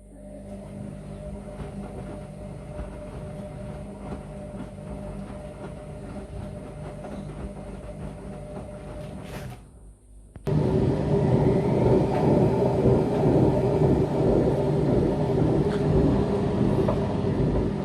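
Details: Washing machine on its wash and spin cycle, around 200 to 1000+ rpm: the drum turns carry a heavy, gritty rumble with a steady repeating beat, which the owner attributes to worn drum bearings needing replacement.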